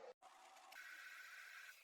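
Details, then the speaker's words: 1999 Sony VAIO floppy drive booting Linux with BusyBox from floppy, loading the initramfs: quiet seek chatter, then a steady thin whirring tone as the disk spins and reads; drive sounds normal. "And you can hear the floppy spinning as it loads Linux from the floppy disk. Okay, now it's loading the initramfs from the floppy disk."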